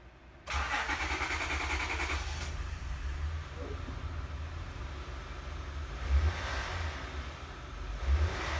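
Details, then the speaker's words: 2005–2010 Honda Odyssey, about 190,000 miles, after fuel pump module replacement for a faulty fuel pressure regulator and slow starting: short crank, quick catch, smooth steady idle, good throttle response; normal start. "pressurize good throttle response and I don't see any leagues that's a good thing"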